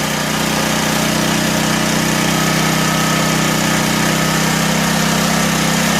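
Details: 1984 Honda EM600 generator on a cold start: steady, high-pitched buzzing drone with a constant tone and no hunting, running faster than normal. Engine overspeed; the fine-tune adjuster knob did little, and a throttle issue is suspected, not confirmed.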